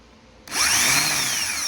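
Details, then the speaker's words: Car starter bench-tested with a jumper wire. It spins up to a high, free whine and winds down with no clunk of engagement. The solenoid isn't throwing the pinion gears out, so the starter is faulty and gets replaced. "so the gears don't want to come out the solenoid is not working properly and does not want to work properly"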